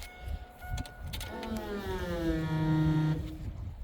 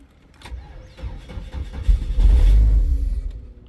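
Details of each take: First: 2002 Chevrolet S10 2.2 with crank-no-start problem: brief electric hum rises smoothly and holds about two seconds, then cuts off; strong, normal fuel pump priming. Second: 2002 Chevrolet S10 2.2 with starting fluid sprayed in: low starter churn grows rougher but never catches, a crank-no-start. Spark is present; a bad valve was found afterward.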